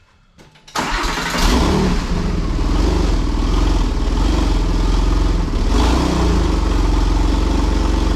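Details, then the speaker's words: Porsche 996 Turbo back running after work on fuel, boost and vacuum leaks: engine catches quickly and settles into a steady, even run with a smooth beat, no misfires and no sucking-air noise from the engine top. "pretty happy boys it's back running it sounds like it's running really really well no misfires no weird things"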